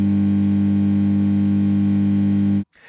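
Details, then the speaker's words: Hiwatt Hi-Gain 100 guitar amp: loud, steady low beehive-like buzzing hum from its mains transformer, saturated by a small DC voltage on the mains; removed with a DC blocker. "this hum is being caused by a small amount of DC voltage in the mains which eats its way way through to the Main's Transformer"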